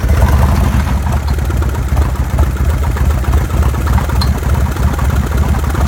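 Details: Evo engine at idle: a deep, uneven idle with a loose internal clatter of about three knocks per second. The engine was badly damaged when opened. Abnormal engine knock.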